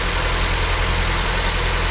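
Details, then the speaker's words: Honda, second cylinder not firing, after injectors were replaced and injector and its power supply checked OK: rough uneven lumpy low idle; misfire on cylinder two persists, cause not yet found. "Nadal mamy problem z zapłonem na drugim cylindrze."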